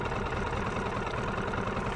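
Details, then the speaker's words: New Marlin MF 5 AMHS 4-stroke outboard, first start on the water, choke half then fully off, running in at idle: steady even idle rumble, no knocks or misses, settling smoothly; normal idle. "Мотор работает как часы, сами слышите."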